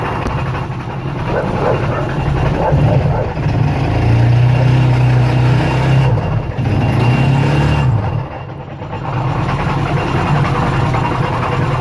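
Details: GY6 scooter engine: uneven low rough grinding churn swelling and dipping with throttle; owner suspects variator or crank bearing, not confirmed; it later accelerates slowly, cuts off, clanks and won't start.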